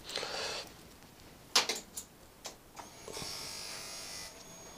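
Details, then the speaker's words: Motorcycle at key-on after the sticky kill switch was cleaned and given a slight squirt of WD-40: short half-second electric buzz, then a steady hum; normal fuel injection pump priming. "don't know if you could hear that, but that was the fuel injection buzz to indicate that that was working."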